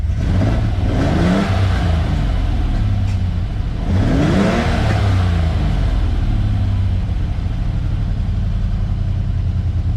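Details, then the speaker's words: Ferrari 400GT carbureted V12 with side-draft DCOE carbs, after retiming the distributor to the marks and reinstalling the carburetors: deep steady idle with two clean throttle blips, now stays running, still slightly rough, needs a little more tuning. "and I'm about to take it out for a drive to see how this feels but it's running a lot better still a little rough still needs a little bit tuning"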